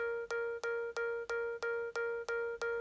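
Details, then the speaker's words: iPad beeping while plugged in and charging: steady mid-pitched alarm-like beeps about three per second; it stops when unplugged, and the owner suspects a poorly seated charger. "So it's still charging. So it still says it's charging, but it makes that noise."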